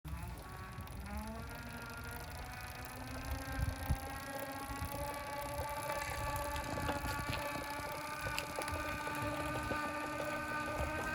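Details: Wahoo Kickr trainer fault: tones climb as flywheel spins up with an irregular bubbling churn underneath; gurgling noise, cause unknown.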